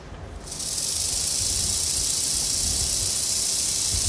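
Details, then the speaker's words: Fabricated gear from a common RC gear, of a different plastic, in a Bachmann/Life-Like pancake-motor model locomotive gearbox: a smooth, even high-pitched hiss with less whine and no high-pitched tone. The gearbox runs normally. "that sound something pretty good actually sounds really good being a different material is going to naturally have a different sound to it and what I'm hearing is it doesn't whine as much doesn't have that high-pitched tone to it"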